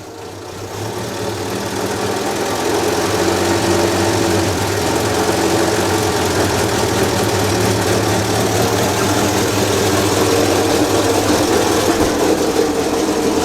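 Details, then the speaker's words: 1932 Morris Minor four-cylinder sidevalve engine, first run in decades after cleaning points, 6V battery, no coolant, little exhaust, choke partly in: after brief start, steady even running without knocks or misses; normal running. "that sounds all right like this that doesn't sound bad at all"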